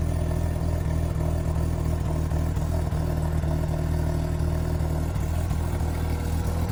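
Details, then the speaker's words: Bridgeport-ported Mazda RX-8 rotary on stock ECU, idle issue fixed by drilling a hole to trick the computer: steady, choppy rumble idling evenly around 800 rpm without hunting. "that's what i did to this now idols around 800 rpms maybe a little lower maybe a little higher but uh yeah listen to it"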